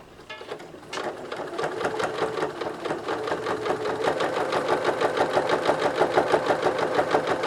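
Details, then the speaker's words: Singer 9970 computerized sewing machine with automatic presser foot, sewing 16 layers of drapery fabric for pleated masks: needle beats pick up to a quick, even rapid stitch, smooth and steady with no knocking or binding. "it's so smooth it really is just so smooth now this does not have a pressure foot dial this is all automatic"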